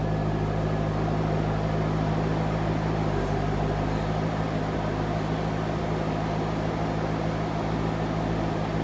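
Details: 2001 Chevrolet Corvette C5 Z06, about 30,000 miles, bone-stock exhaust before Magnaflow cat-back install: deep steady V8 rumble at idle with low even hum, no knocks or misses; normal idle.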